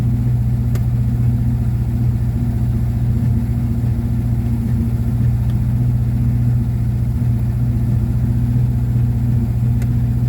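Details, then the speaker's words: 1954 Ford Popular 103E, cold start with the choke held on by a clothes peg, fired on the first turn of the key: steady, even low idle with no knocks, misses or whine. Normal idle during a coil-voltage check. "First turn of the key, choke on with the old trusty close peg, and it fired straight up. But the car's running."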